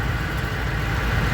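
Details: Truck idling after fuel filter replacement, primed three times before starting, odometer 350,677, no leaks; steady even low rumble with no misses, knocks or hunting, healthy idle.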